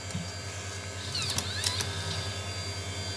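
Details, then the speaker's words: Apple floppy drive from a Quadra 700 after cleaning and eject-mechanism repair: quiet hum, then a brief motor whir and crisp clicks as the disk ejects cleanly; the drive now works and ejects disks normally. "voilà, notre lecteur fonctionne et il éjecte les disquettes."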